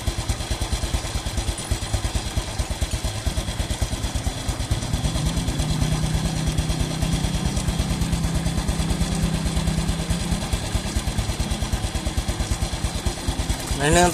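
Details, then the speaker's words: Single-cylinder motorcycle after changing to Shell Advance AX7 10W-40 synthetic-based oil, warmed up at idle: even putter with steady beats and no knocks, sounding smoother than before on the old oil. "sementara bunyinya juga jadi lebih halus karena ukurannya tentunya sama"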